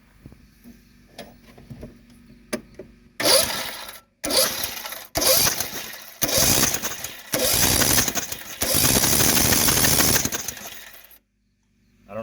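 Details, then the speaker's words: Craftsman lawn mower with a hydrolocked, fuel-flooded cylinder, spark plug removed and fuel line disconnected from the carburetor: several bursts of fast, hollow cranking with no compression, pushing old gas out of the cylinder. "all right now that we got the spark plug out and the fuel line disconnected from the carburetor we're going to crank it and push all that old gas out of the cylinder"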